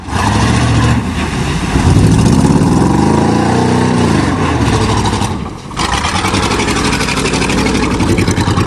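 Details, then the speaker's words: 1988 Chevy truck with 305 V8 mudding: revs rise and fall with an uneven, stumbling beat as it labours; engine missing under load. "missing already can't believe this is the first time you manage that thing definitely missing"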